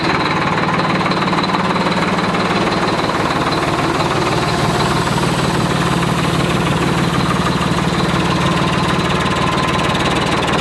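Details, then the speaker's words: 1991 Freightliner FLD120 with Series 60 Detroit diesel, revived with just fresh batteries: steady diesel clatter at about three beats a second with a slightly uneven, lumpy idle pulse; kept short because of a bad injector. "i know it was kind of a short start but there's a bad injector so we couldn't really you know keep it going much longer"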